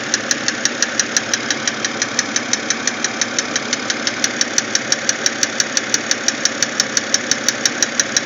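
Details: BMW X3 engine noise: sharp, even tick about three times a second over a steady idle. Engine ticking, cause unknown.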